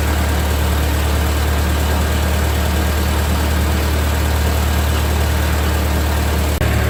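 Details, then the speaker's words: 1945 Ford 2N loader tractor after rewiring, just started: steady even low rumble, no knocks or misses, oil pressure about 10 and charging; idles healthily. "Well, it started up. It's sort of got oil pressure 10. Oh boy. And it's charging. So, all seems to be okay."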